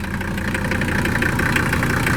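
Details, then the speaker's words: 1979 or 1980 Mercedes-Benz 300 SD diesel, scrapyard car, first start after fuel filter and oil change: steady, even diesel clatter at idle with no misses; runs smoothly, though vibrating, owner suspects bad engine mounts. "And she's actually running pretty smooth, man. Not even missing. Totally primed itself."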